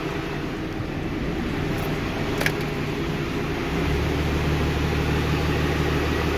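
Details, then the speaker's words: 12-valve VGT truck with a newly working exhaust brake and three fuel filters, started after fitting the filters pre-filled on a full tank: low diesel idle clatter that firms up and deepens, then holds steady. Fires up and runs fine. "all right well it fires up and runs that's all i need to know"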